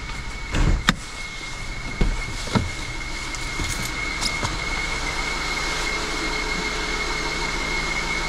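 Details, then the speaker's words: BMW 750Li after transmission repair, first start and drive, warm idle: a thin, steady high whistle that never changes pitch, louder at idle, heard from the rear of the engine; excess crankcase pressure escaping. "so it sounds like the whistling is coming from the back of the engine it's hard to tell"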